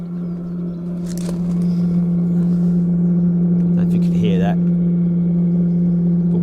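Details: Chinese diesel heater with 38 mm sand-battery exhaust upgrade at start-up: loud, steady low droning roar, no surging or popping; usual start-up noise that quietens once warm.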